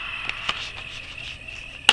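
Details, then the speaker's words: Courier Centurion 23-channel AM-SSB CB base station, about 1981, controls cleaned with DeoxIT: at full volume on AM only thin hiss and clicks, no signal, while sidebands work; detector or relay suspected. "Lower sideband, upper sideband seems to work, nothing on AM. I mean, that's full max volume, and that's the sound you get,"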